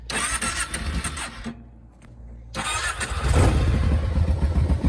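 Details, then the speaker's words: Kawasaki KFX 700 V-twin (V-Force) ATV that had not been starting; it catches after a short crank and settles into a slow, lumpy thump, with idle a bit low and a tight, stiff adjuster. "idle's a little bit low, but the adjuster is kind of funky. It's tight and don't want to really adjust too much."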